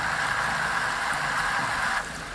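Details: Powerful pump flushing a clogged well connected to a heat pump loop: hissy, airy rush with no solid water note, then dropping off; pump has drawn the water out and is sucking air.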